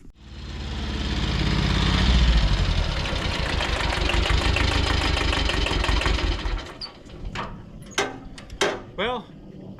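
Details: Mid-1970s Kubota L175 two-cylinder diesel tractor after repairs, oil pressure light going out: steady, even diesel chug at idle with no knocks or misses over the low rumble; runs healthy.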